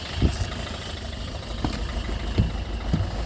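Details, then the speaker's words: 2008 Citroën Nemo van diesel after a no-start fault: it settles into a steady idle with a soft, even clatter and a few louder thumps while warming; it now runs normally. "So that's the good news, guys. We fully functional now. The engine is running, and that's it. So it's turning back to normal now."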